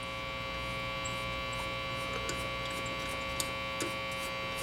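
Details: Marconi 238 vintage tube radio after all paper capacitors were replaced, on a roughly 5 ft wire antenna: steady low mains buzzing hum with faint crackles, stations only weak or absent; cause of weak reception unclear.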